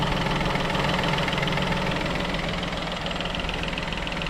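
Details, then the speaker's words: Peugeot 2008 after wet timing belt change, first start: even idle with light, regular valvetrain patter over a steady hum; running perfectly, though an engine fault code appeared from cranking with coil packs off. "But, as you can see, running perfect. Absolutely sweeter than enough."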